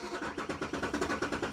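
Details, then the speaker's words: 2008 BMW E92 M3, 48,000 miles, sat about 3 years, cranking on jumper packs: uneven cranking about seven beats a second with lumpy, catching pulses. Timing is suspected to be off when cranking; the engine runs fairly smooth but with a miss. "Oh, it sounds so bad. Right now, I'd say the timing sounds like it's off when it's cranking, but it runs pretty smooth."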